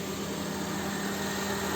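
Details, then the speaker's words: Honda CR-V with no AC, low-side 32 psi on a hot day, being charged while running; compressor just kicked on and condenser fan runs. Steady even idle with low hum and fan rush; normal AC operation, system low on freon and leaking somewhere. "I heard the AC compressor just kick on, so it's just a case of low freon."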